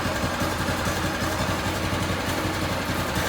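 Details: Predator 212cc engine on a DB30 go-kart, just fitted with a new carburetor after it wouldn't idle and cut out at full throttle; now settles into a quick, steady putter, idling cleanly without hunting or stalling.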